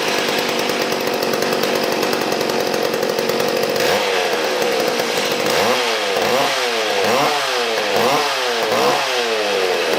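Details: Mac Timber Bear chainsaw test run after replacing a shrunken fuel line that leaked at the tank hole: holds a high steady scream, then takes repeated throttle blips cleanly without bogging.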